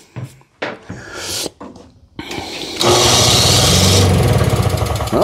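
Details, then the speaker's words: Simplicity 520 single-stage snowblower (5 hp, 20 in) after the electric starter repair (drive washer splined on the shaft, friction rubber, gear), key on and choke on: starter engages and spins the engine over steadily without grinding or slipping; starter now working. "now it works the engine actually turns over and I have the choke on and I have the key on"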